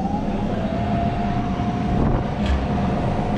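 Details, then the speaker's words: Restaurant prep-table refrigeration unit after repairing a liquid line restriction at the expansion valve, vacuum held at 747 microns, recharged with about 15 oz: steady low hum, even tone, no rattles or surging; coil warming, runs normally. "the coil is actually getting warmer this time and you can hear it it sounds normal it doesn't sound it's had many issues"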